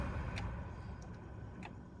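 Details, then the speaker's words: 2005 Dodge Ram blower motor on low speed before replacement: low fan rumble with irregular light ticks and chatter, with almost no airflow on low settings while the higher speeds work well; the worn motor is to be replaced. "So, you guys hear it's got a little chatter to it. So, that's like there's hardly any air."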